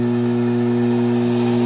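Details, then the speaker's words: 4" submersible 3/4 hp 8 gpm well pump in a test tank, circulating water at 11.7 gpm and building 180 psi. It functions fine, but a strong, steady low hum with a buzzing edge holds unchanged, far louder than normal; cause unknown. "and as you can tell it's extremely noisy now just so anybody's wondering it is circulating water right now but you can tell just how loud it is I mean this is absolutely terrifyingly loud"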